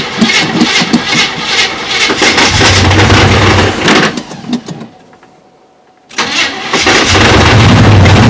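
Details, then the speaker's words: Chevrolet K20 small-block V8, first start in 20 years, fed old two-stroke oil and fuel by hand-pumping: catches and runs with an even, steady beat, briefly dies, then restarts and settles smooth; running cleanly. "hey i did it running pretty smooth too it it it was running fine"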